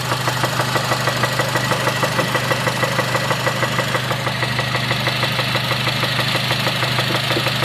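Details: 2006 Honda Civic Si with 122k miles at idle: sharp, even knock about three times a second riding over the engine, from inside the motor; rod knock suspected, valves doubted, cause not confirmed.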